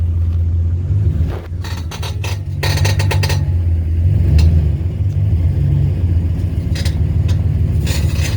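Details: 2015 Dodge Ram 1500 with a bad front wheel bearing, creeping at about 10 mph forward then in reverse, wheels straight: low heavy rumbling growl with scraping bursts; worst at 30–55 mph, worsened over two months before bearings were replaced.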